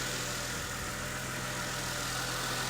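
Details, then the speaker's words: Mercedes ML350 started stone cold after an oil and filter service; settles to a steady, even idle with a low hum and no knocks, ticks or whine; normal cold idle. "obviously it's stone cold so it's taking a little bit of time there we go that's not knocked off just let it come of a nice idle"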